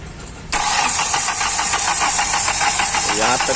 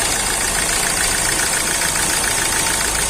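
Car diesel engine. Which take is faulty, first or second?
first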